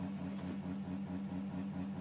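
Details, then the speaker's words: Bedini SG pulse motor with rotor-to-coil gap opened for higher RPM, self-accelerating without flicking: even buzzing hum pulsing at about 95 cycles per second, smooth and steady with no misses; running sweetly. "just wanted to show you that it does speed up to that by itself without me having to flick it as a matter of opening the Gap a little bit and that was kind of the main thing um but anyway running pretty sweet there at"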